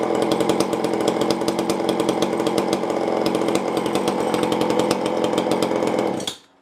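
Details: Tanaka ECS-650 two-stroke chainsaw after fixing a vacuum leak that caused stalling, with the fitting secured using blue Loctite and a light tune-up. Holds a steady, crisp high buzz for six seconds without sagging, then shuts off cleanly; running healthy.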